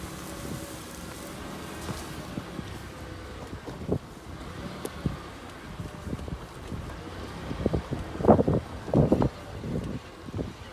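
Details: Mitsubishi Pajero 4 while driving: over wind and road rumble, dull irregular thuds come in bursts as the wheels hit bumps, a front suspension knock.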